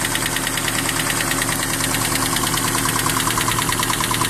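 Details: 1992 Toyota Hilux 22R engine at idle: sharp, even tick about 143 times a minute over steady idle; top-end clicking, cause not yet found.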